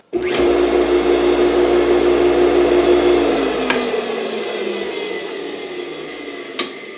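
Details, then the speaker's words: Electric motor from a roughly 15-year-old air compressor, after bearing replacement (it previously squealed periodically): spins up to a steady, even hum with no rumble or growl, coasts down with the centrifugal switch clicking; bearings healthy, normal running. "There you go, it's running like a champ. You can hear that centrifugal clutch going in and out in the back."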